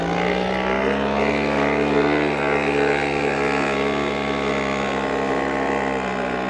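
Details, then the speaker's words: Lohmann 18cc variable-compression diesel moped engine after rebuild with new piston, riding uphill under load; steady fairly high buzzing drone, no knocks or misses: normal engine under load. "we're actually riding up a hill now and I'm almost not using the bike part of it"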